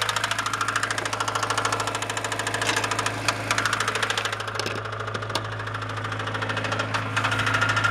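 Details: Honda B16A engine at idle in neutral: steady fairly even knock about three times a second over the engine hum, continuing in neutral. Engine knock, source not pinned down.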